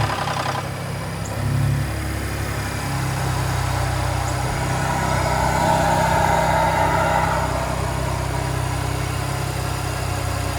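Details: 2017 Ford Raptor petrol engine idling just after a cold start, with a light metallic rattle over its low hum.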